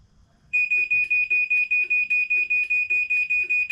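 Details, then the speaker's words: Chamberlain garage door opener closed remotely through the MyQ app: quick, even high-pitched beeps about two and a half per second, the opener's normal safety warning before the door closes. "Just to make sure if anybody's here that they know it's fixing to close. Yeah, it's obviously a safety thing, but wow."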